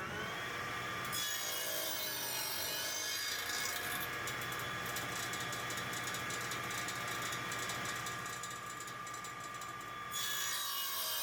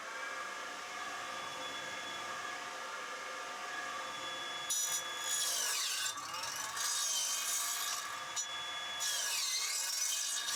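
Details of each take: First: Old radial arm saw restored after years idle (capacitor and belt replaced, blade sharpened): steady motor hum with smooth, even rasp through wood, no chatter or bogging; normal clean square cutting. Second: Old radial arm saw, idle for many years, test-run: motor hum then rough, scraping, laboured bursts cutting timber; blunt blade, later touched up on a blade grinder.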